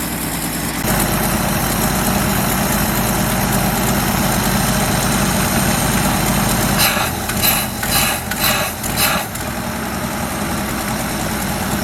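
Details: 1977 Ford F350 dually tow truck, long-sitting estate-sale find, warm: even low idle with steady firing, no knocks or misses, a few brief clatters partway; the owner suspects a bad accelerator pump or clogged jets for its stumble on acceleration.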